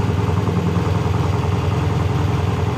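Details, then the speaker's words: Triumph hardtail motorcycle on its first start, very loud, with new exhaust wrap still burning off. Even, fast idle thumping about three beats a second, no knock or misfire, but idling a bit high. High idle. "it literally rides buttery smooth sounds like it's idling a little high right now"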